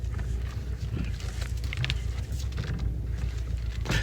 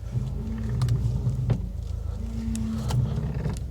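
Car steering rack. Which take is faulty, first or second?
first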